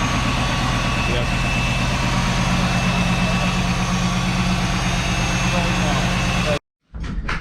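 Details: V8 car on day 3 of a Cannonball Run trip in Arizona; steady, even burble with a smooth low pulse and no misses or knocks; running cleanly.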